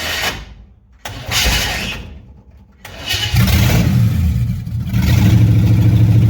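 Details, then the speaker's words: 1957 Chevy hardtop (LT1 Roadmaster conversion project) after advancing ignition timing a little; cranks, catches after a couple of tries, then settles into a steady lumpy idle with throttle blips — normal running after start. "I think that's going to work we're going to get her on the trailer and get her pointed in the direction and uh see if we can get this inspection to go over a little better"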